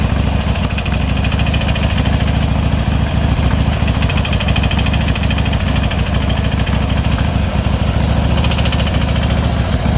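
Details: 2005 Harley-Davidson FXDL: an intermittent, uneven clatter from right after start-up rides over the lumpy V-twin idle; teardown found the front camshaft's inner bearing side worn and stepped.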